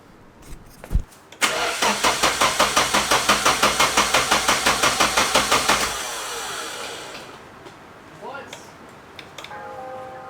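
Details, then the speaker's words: 1990 Nissan 240SX S13 with a DOHC KA24DE swap and manual transmission: steady starter cranking for four seconds without catching. No fuel is reaching the engine. "Yeah, we have no fuel. First time around, I forgot to plug the ECU in. My fault."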